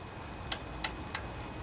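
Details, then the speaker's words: Honda GC160 5 hp engine from a junkyard pressure washer, pull rope turned slowly; three light sharp ticks from loose exhaust valve lash, noisy valve that was then adjusted, after which the ticking was gone. "okay so what is going on with these valves that could be a noisy valve"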